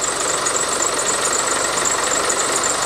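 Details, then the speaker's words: Land Rover Defender 110 diesel (ex-RAF drone recovery truck) first start after cam belt and timing cover work: steady, even idle clatter, no screech or squeal as before from the timing chain cover; believed fixed, auxiliary belt known to squeak. "there's no horrible noises it hasn't made the screeching noise it made the first time we put that cam timing chain cover on so I'm thinking that's fixed now"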